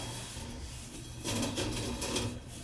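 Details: Whirlpool gas furnace that won't run and makes weird noises: a steady low blower drone with an uneven scraping, rasping rub that swells in louder bursts. The blower wheel is loose on the motor shaft and rubbing.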